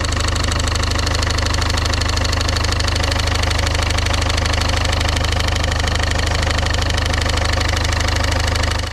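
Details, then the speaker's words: Engine idling about 700 rpm: regular knocking rattle, roughly two per second, at the front, only at idle and slightly above and only with the 6PK auxiliary belt on; harmonic damper pulley suspected, AC compressor ruled out, unconfirmed. "um and it's this is only on on idle and a little bit higher that's about 700 rpm yeah um it's it's noisy"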